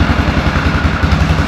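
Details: 2004 Yamaha Grizzly 660 single-cylinder, old, after no-spark repair and oil change: even steady idle thump, no knocks or misses; normal idle.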